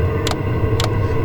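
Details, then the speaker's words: Chinese diesel heater at altitude in Rocky Mountain National Park, took several attempts to start; low steady rumble with fuel-pump ticks roughly every half second as it tries to light; owner suspects altitude affecting air-fuel ratio. "Alright, so this thing just started firing up. I had to try it a few times for some reason. But the fuel pump's clicking. We've got exhaust going."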